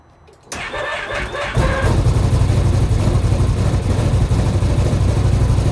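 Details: 2025 XMR 1000 starting: the starter cranks, then the engine catches and settles into a low, uneven idle with an odd rattle right at start-up. Source of the abnormal noise unconfirmed.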